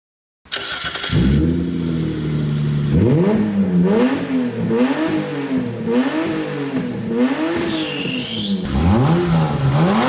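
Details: Engine after the blown exhaust was properly repaired with welded metal: engine blipped through repeated rises and falls with a deep, solid note and no rasp or blowing leak; remaining noise is judged to be the engine itself.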